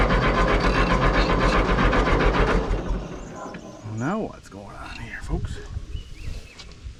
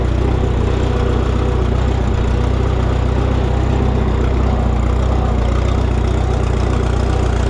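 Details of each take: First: Minneapolis Moline GTB tractor: starter grinds the engine over at a steady beat for about three seconds with no firing; crank no start because the temporary ignition coil had come unplugged. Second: Minneapolis Moline GTB tractor restarted after reconnecting its unplugged temporary ignition coil: steady, even idle around three beats a second, no misses or knocks; normal idle.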